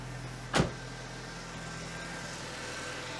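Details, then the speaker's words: Merkur XR4Ti: brief knock, then a steady, even low idle with no misses, smoother than before, maybe slightly stumbly. "sounds a lot smoother actually let's go back and listen in the exhaust oh buddy that sounds pretty [Music] good maybe a little stumbly not too bad though"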